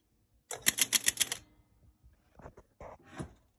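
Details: Gottlieb Sky Jump electro-mechanical pinball on restart during repair: about one second of rapid relay clatter then faint clicks; 20- or 10-point scoring relay misfiring and popping the 100, cause not yet found.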